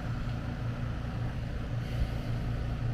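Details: AC condenser running after repair of a mounting screw shorting a high-voltage leg at the disconnect (intermittent breaker trip, no cooling). Voltage 239 V, good to go. Steady even hum, smooth fan rush, no rattles or buzzing. Normal running.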